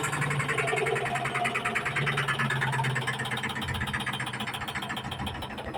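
A loud, uneven rattling thump repeats about three times a second through the spin; something is knocking, cause not yet clear.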